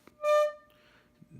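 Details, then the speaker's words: Heathkit T4 tube amp converted to a guitar amp, driven by a test signal set to about 0.5, matched to guitar level; a ~600 Hz tone sounds buzzy and harsh, so the amp is distorting. The input scope shows clean signal. "know if you're in camera I could hear it it's distorting"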